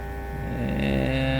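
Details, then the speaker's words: Fan after installing replacement control board (possibly a copy): steady low motor hum with a smooth pitch step switching low, medium, high; motor runs cleanly. "Let's see, on speed. Ah, the motor's spinning. Low, medium, high, okay."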